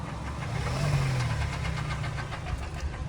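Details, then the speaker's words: 2013 Kia Sportage AWD, about 120–125k km: heavy hollow knocking, about four per second, as the throttle is pressed and released, present cold and hot and slightly quieter hot; piston knock from scored cylinder walls. "начал легкий постукам Да сейчас стучит конкретно так прямо солидно"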